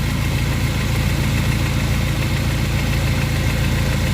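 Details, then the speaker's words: Honda Prelude SH on jack, running in fourth gear with wheel spinning: steady low roar without knocks from a worn wheel bearing; ATTS unit leaking. "go ahead and turn it off it's just wheel bearing a screaming right here"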